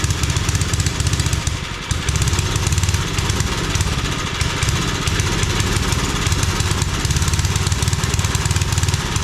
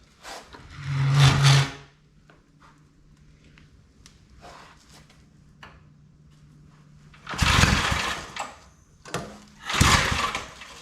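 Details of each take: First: 5 hp Briggs single-cylinder engine on a homemade wood splitter, started without choke after adding fuel: steady putter with even beats, one brief early dip, then constant speed; normal running. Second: Old Briggs & Stratton 5 hp wood splitter engine, started without choke after more fuel was added; catches in short bursts then fades each time, never holds idle. Spark present, plug carboned: fuel starvation.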